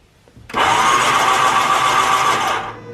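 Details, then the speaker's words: 2011 Yamaha WaveRunner VX 110 Deluxe jet ski, sat for years, spark plugs reinstalled after confirming spark and fuel: about two seconds of steady, even starter cranking with no hitching; engine now rotates evenly. "yeah that sounds good yeah so if you listen to that"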